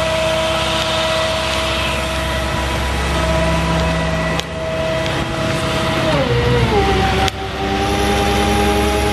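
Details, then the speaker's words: 2004 Chevy C5500 rollback, 6.6 L Duramax, PTO high idle, cold day: hydraulic pump whine dips as the rear wheel lift loads, then recovers; it works normally, only a little slower from the cold. "A little cold today, so the hydraulics are a little slower than normal."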